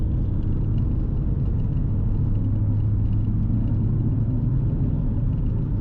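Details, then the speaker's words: Holden VT with stock Ecotec engine, 5-speed manual, nearly 300,000 km, 3.46 diff ratio: a steady low hum over heavy road rumble in fifth gear from 80 to 111 km/h indicated (about 2000–2400 rpm). The extremely noisy worn rear differential whines and is being swapped to 3.08. "Now another reason that this diff needs to be changed out is it's extremely noisy."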